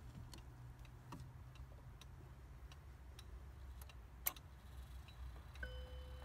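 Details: Howard Miller 612-581 triple chime regulator wall clock after broken time spring and barrel and suspension spring replaced, cleaned: crisp even ticks about two or three per second over low room hum, steady and healthy. Normal ticking.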